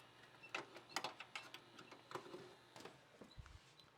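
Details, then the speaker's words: About 20-year-old VCR, one of several identical units, tested: soft irregular clicks and brief whirs as the transport loads and moves tape, no grinding; tape mechanism working fine. "all right, I think they all work. Awesome. So again, Craigslist deal, all the same, all exactly 20 years old. They all seem to work."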